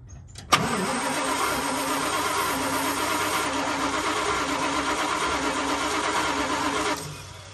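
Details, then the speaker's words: 1975 Dodge D200 crew cab, 360 small block, four-speed, long sitting; cranked by screwdriver across solenoid with key on and carb cleaner: starter whirrs six seconds, never fires; no spark, ignition switch suspected, cap, rotor and plugs look new. "it is not acting like it's getting sparked. So the ignition is not live, it's not getting spark."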